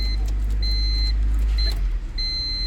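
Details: 1999 Honda Civic manual with intermittent stalling after about 20 minutes of driving, after fixing the bad ignition switch: steady, even idle with no stumble or cut-out while the dash chime beeps, staying running even when the key is jiggled.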